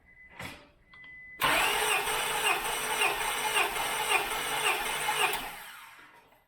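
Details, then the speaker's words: 2000 Acura 3.2 TL, J32A1 V6 at 623,264 miles, original valves, cold engine, compression test cylinder 1 at wide open throttle: even cranking about two beats a second, no missing beats; reads 210, all cylinders 190–210, healthy engine. "Okay, so here's all of our readings. 210, 195, 190, 200, 190, 205. Nothing below 190. This is a healthy engine."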